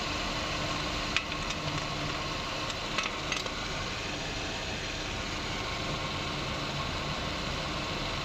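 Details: 2003 Ford Escape after replacing the alternator bearing to cure alternator noise: even, steady idle hum with no whine or bearing rumble, just a couple of light clicks; alternator runs quiet.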